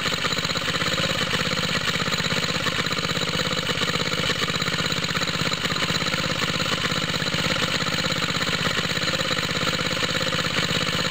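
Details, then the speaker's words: Water pump rig engine, cold start with choke on, straight 30-weight oil, new exhaust tip; smoke from side of head, owner thinks head gasket leaks, losing compression: cold idle with quick, slightly uneven chuffing about three per second; head gasket leak. "Like I was saying, is there's a, I think a head gasket leak right around here. I keep seeing smoke coming out of here."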